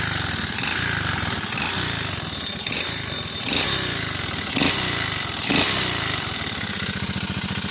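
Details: Alpha moped fitted with a BSE 125 pit bike engine, idling with a sharp, uneven knock roughly once a second over the engine note; internal knock, cause not yet pinned down.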